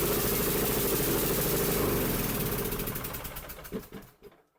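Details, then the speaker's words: Troy-Bilt Pony 42X riding mower with 547cc engine: weak, lumpy running that sags and sputters into a stall within seconds, no response to throttle, as if choking; caused by a bent carburetor throttle linkage. "it sure sounds like it's choking itself to death and I run the throttle up and down and it don'"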